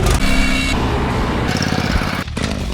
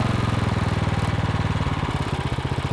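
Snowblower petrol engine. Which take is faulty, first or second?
first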